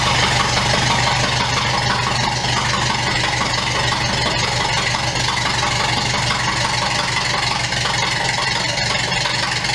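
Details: Unknown crusty donor engine in a 1929 Ford Model A doodlebug, first run bare-bones: steady even idle with busy mechanical clatter, no misses or knocks, little smoke; normal idle.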